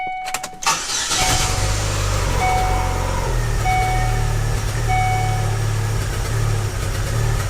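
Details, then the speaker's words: 2006 Chevy Aveo with a P0300 random misfire code, started after a battery reset. The engine catches into an uneven, lumpy, stumbling idle that surges and worsens in drive; the cause is suspected, with the IAC valve among candidates. Rough idle. "you hear that rough idle and it gets worse it gets worse when you put it in a dry you like surges and just a rough idle"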